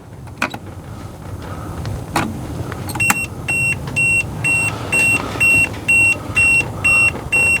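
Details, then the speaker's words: RV GFCI outlet wiring check: multimeter continuity beeps pulse about twice a second across ground and neutral, which should not have continuity, indicating a ground-neutral short; ground-hot and hot-neutral read nothing. "should not have any continuity between ground and neutral between ground and hot we got nothing and from hot to neutral we've got nothing"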